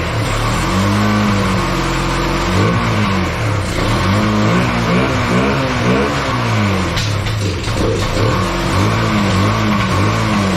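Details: Bayou 220 ATV, sat for 8 years, after cleaning the clogged carburetor and refitting it without an air filter; the single picks up cleanly and drops back through repeated blips with no popping or stumbling, somewhat smoky, and starts right up. Normal running and revving.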